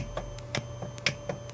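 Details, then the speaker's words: Goldstar FA-785 series integrated amplifier: sharp, uneven ticks over a faint hum come through the speaker whenever any front-panel button or mode switch is pressed. The noise is independent of the volume setting, so switching noise is leaking into the output. "기본적으로 출력은 뭐 그럭저럭 잘 나오고 있는데 모드를 바꿀 때마다 스피커에서 삑하고 노이즈가 나고 있어요."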